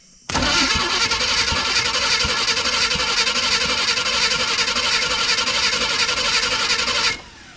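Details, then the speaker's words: Abandoned Chevrolet C10 square body truck, first crank via battery positive cable: steady, even cranking about four turns a second for seven seconds, no gallop or hitches, engine doesn't fire; one small possible irregularity noted. "Hey, sounds pretty decent. It doesn't really have any gallop to it."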